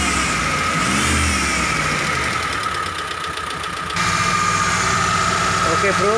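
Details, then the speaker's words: T120SS fuel-injected car engine under throttle: steady, high, flute-like whistle over the running engine; a dented oil pan presses against the oil pump pickup, which whistles as oil is sucked up. "jadi suaranya itu berasal dari bawah yaitu dari pancit poli ini yang penyok jadi panci ini karena terlalu di dalam akibatnya adalah pompa oli atau corong dari ujung pompa oli itu mepet dengan plat dari panci oli ini sehingga terjadilah suara seperti ini ketika oli naik atau oli disedot"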